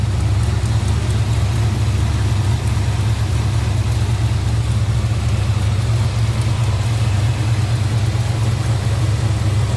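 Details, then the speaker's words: 1968 Plymouth Barracuda 440 V8 with carb and automatic, heard at the engine bay with hood open: deep, even low rumble at idle with a slight lazy pulse, nothing rattling on top; smooth, quiet, healthy idle. "Smooth runner. Sounds good. Nice and quiet. Just that rumble."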